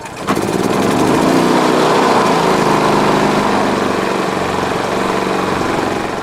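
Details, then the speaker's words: Energizer eZV3200P portable inverter generator, about 42 hours, cold start to warm up before an oil change: small engine catches and settles into a steady, even buzz with no misses or knocks; normal running. "So we'll just start it up here, and I'll warm it up a bit before I drain the oil."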